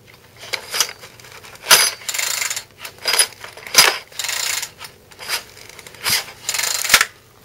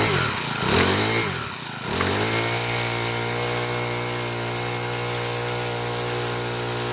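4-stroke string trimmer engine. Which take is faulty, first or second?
first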